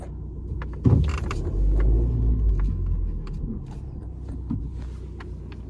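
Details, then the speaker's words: Fiat Egea 1.3 Multijet diesel, manual, on a restart: even low idle rumble with no rpm surging now. Earlier it surged heavily and ran noisy, with noise from the belt area. "şu anda bir deneme daha yapayım dedim Şu anda mesela devir saatinde bir dalgalanma yok"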